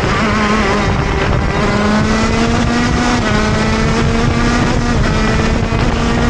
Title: Falla en mi GoKart, se ahoga saliendo de curvas (Motor Kart TM Racing KZ-R1)